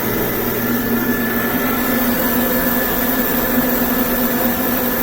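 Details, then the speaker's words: Home-built oil-burning furnace, freshly lit and warming up: steady blowing roar, a low rumble drops away and a firmer hum settles in as the tone changes on ignition, then it burns evenly; gauge line shows flutter. "So, but it's running right now. You can hear the tone get different when it ignited, so yeah, it's getting warm."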